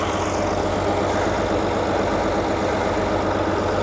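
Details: 1939 Allis Chalmers HD14 bulldozer with 6-71 two-stroke diesel, just started after sitting several years: dense, even diesel clatter at steady low idle, no misses or knocks; normal healthy idle.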